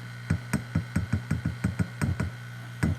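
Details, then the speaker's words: Vintage Fender Reverb tube guitar amp: each tap on a tube gives a loud boomy knock over steady low hum; rattle changes tapping the rectifier, suspected bad base connections or internal fault, microphonic tubes. "Hear that rattle rattle? Seems to change when I hit the rectifier tube. So we may have bad connections in the base of the tube, or may have something mechanically going on in it."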